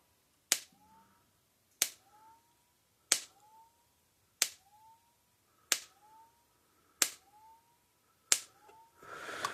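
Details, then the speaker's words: Repaired Gallagher M1800 fence charger (energizer), output gap closed with a screwdriver at the terminals: sharp, loud, very regular snaps about every 1.3 s, nice bright heavy spark, one spark flying off the screwdriver side; normal spark discharge. "so see how how that's loud enough I mean it's nice spark not shoots a spark that big nice bright heavy spark actually had a little spark fly off the side of the screwdriver when it hit"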